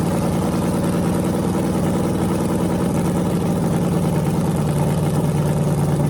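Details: Freshly rebuilt small block Chevy 350 (355) on a run stand, restarted after refuelling, open headers, temps about 107 front, 76 back, plenum 69°: deep, even burble, steady and smooth, no knocks or misses; healthy.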